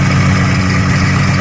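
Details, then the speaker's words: 1985 Yamaha Phazer two-stroke snowmobile after carb cleaning, tuning still being dialed in: steady, busy idle with even low drone sitting a bit fast; idle slightly high and low-speed idle odd, owner suspects a seal. "we're still dialing in the tuning and the low-speed kind of idle and weird"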